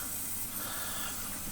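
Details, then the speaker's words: Sprint car right rear rim, wingless sprint car, tested with a garden hose. A steady, even hiss with no rhythm from air leaking out of both rim bleeder valves; the plan is to clean the inner bead and tighten the bleeders. "actually both of them it's actually leaking that yeah right there both those bleeders are leaking"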